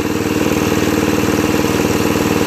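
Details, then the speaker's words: 2001 Murray Select LT riding mower, fixed by carburetor cleaning (float needle stuck open from ethanol buildup) and an oil change: even, steady single-cylinder beat at a fast idle, no misses, knocks or surging; runs smoothly. "so anyway looks like i fixed it pretty well and all it was was the uh carburetor needed cleaning"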